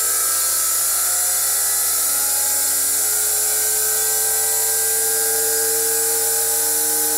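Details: Motor driven by a VFD inverter, turning stones, brought back up toward about 90 at high speed: steady high-pitched whine with even tones, no knocks or rubbing; normal running at high speed.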